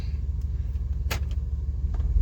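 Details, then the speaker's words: 1996 Chevrolet Suburban C1500, 4L60E automatic, after replacing all solenoids, pressure plate, wiring harness and lockup torque part to fix limp mode: steady idle, then one solid normal engagement clunk with rpm drop when shifting into gear. "you hear that clunk you got a clunk you can watch the rpm drop too watch clunk reverse neutral goes up drive clunk"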